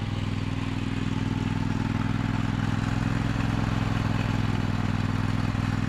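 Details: 2003 John Deere L120 hydrostatic mower, Briggs 20 hp V-twin, after bleeding the hydrostatic transmission: steady even constant low hum, no clatter or surging; healthy.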